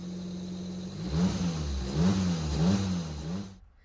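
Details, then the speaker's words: Old-model Maruti WagonR after the gear oil was drained and checked for a gearbox grinding complaint. On the trial drive the engine revs smoothly with no whine, grind or clatter; the gearbox is now normal. "അപ്പോൾ നമ്മൾ വണ്ടി trial ഓടിച്ച് നോക്കി. പിന്നെ ഇപ്പം sound കാര്യങ്ങളൊന്നുമില്ല."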